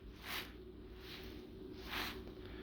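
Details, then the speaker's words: 1999 Lexus ES300 with code P0446: the old EVAP vapor canister, shaken three times over about three seconds, gives soft gritty rattles from loose charcoal, unlike the tightly packed new canister; the owner is unsure this caused the code. "the charcoal moving around whereas in the new canister it's not the case so it's like tightly packed in there"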